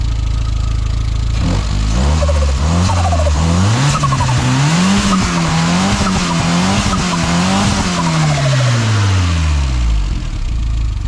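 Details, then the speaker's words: Škoda 130 turbo after turbo and exhaust modifications, engine revved up and down; fluttering chatter on throttle closing as back pressure still hits the turbo blades, blow-off valve spring probably too stiff, a softer spring likely needed. "A tie odpy, čo počujem o turba, znamenajú, že mi púšťa ešte spätný tlak na lopatky, takže asi je potreba dať trošku mäkši pružinu"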